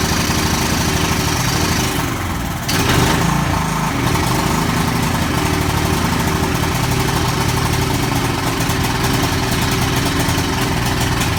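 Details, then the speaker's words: Ferris Hydrowalk 32 mower, Kawasaki 13 hp 401V engine, December 2003, first start after carburetor repair and reassembly: steady even low thrum with no stumbling or surging, running a bit smoky but running. "okay so it's running a bit smoky I'm gonna get out of the shed okay so it's running a bit smoky but it is running"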